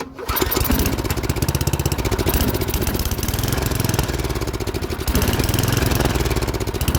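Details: MTD snowblower with an 8 hp Tecumseh engine, after cleaning the carburetor bowl and adding fresh gas, on full choke with added throttle: it catches within a few turns and fires steadily, slightly unevenly. The engine starts and runs.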